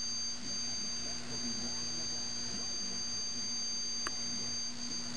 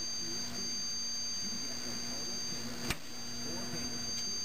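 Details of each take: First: 1974 Zenith E4760 Avanti CRT TV after replacing all 22-5001 safety capacitors: steady low hum under piercing high-pitched whine, likely flyback noise; owner suspects a module and the tube, noise goes away in service mode. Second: 1974 Zenith E4760 Avanti TV, 25EC58 chassis, after replacing 22-5001 safety capacitors, in service mode: faint steady main transformer hum with thin high whine and one click; expected, normal.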